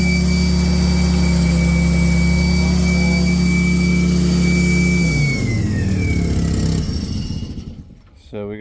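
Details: Hydramaster Titan 875 carpet-cleaning truckmount after new blower belts fitted, running on low: steady, even drone with clean whirring tone, then winds down smoothly; engine and blower healthy, suction and pump working.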